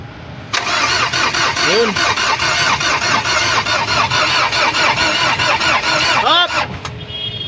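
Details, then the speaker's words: Ford Ranger 2.5 engine with check engine light and a burnt smell: the starter cranks steadily at an even chug for about six seconds but the engine never catches; cranks but won't start. "Ayaw umandar nag-cr lang siya"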